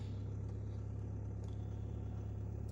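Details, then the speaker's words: Audi A6 2.0 TDI that would not start in cold, damp weather, after repair, morning after frozen overnight; quiet, even low diesel hum holding steady idle, no stumbling, knock or warning lights, normal idle after cold start. "Pielece. Nekas panelī nedeg. Aizsalis mums. Izskatās, ka būšu saremontējis."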